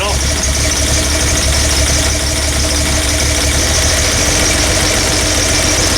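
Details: Toyota Land Cruiser, electric fuel pump, started cold: uneven loping idle with irregular stumble every few beats; cylinder 3 misfire, its exhaust tube stays cold; possible low compression, valve, carbon, spark plug or ignition, still to be tested.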